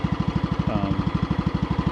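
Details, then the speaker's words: Riding mower running on old gas with blades engaged and electric clutch working: steady low chug about twelve beats a second that never climbs; RPM held low by a dead stop on the throttle linkage, even with the cable tightened. "I can't get the RPMs up because it's really cool when you put it to full, there's a dead stop on the linkage. And if I tightened up the cable, it it still wouldn't go past that dead stop."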